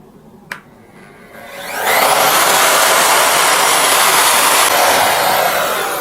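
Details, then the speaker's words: Motor switched on through a soft-start module (16A/12A) at 450 watts, with no load. After a small click it winds up gently over about half a second to a steady high whine with no jolt or hand shake. "Bunyinya langsung lembut. Bunyinya halus ya guys Halus. ya. Dan tangan saya itu nggak ada efek shaking gini guys, nggak ngagetin gitu loh Om."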